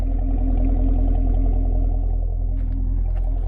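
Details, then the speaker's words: 2016 Camaro SS, bone stock apart from trailer hitch, V8 idling with exhaust in loud mode: deep, even burble with steady pulses around three per second; healthy normal idle. "let's put it in loud here's how it sounds at idle and loud mode"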